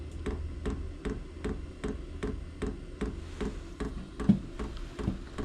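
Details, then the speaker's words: Diesel heater starting up, run briefly without its screen: light, crisp ticks at a steady two or three per second; the dosing fuel pump is pumping normally. "It's pumping, so that's a good thing."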